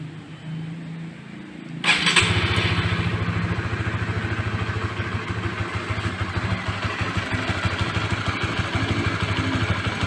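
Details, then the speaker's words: Honda CB150R fuel-injected motorcycle after routine service with scanner check: engine catches about two seconds in and settles into a steady, even idle with no hunting or misfire; idle now normal, slightly unstable before service. "stasioner langsamnya sudah normal sebelum service agak sedikit kurang stabil"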